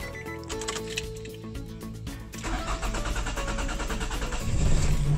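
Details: 2006 Nissan X-Trail with code P0335: the starter churns about four beats a second for over two seconds before the engine catches and revs up; hard start with long cranking, cause suspected but not confirmed.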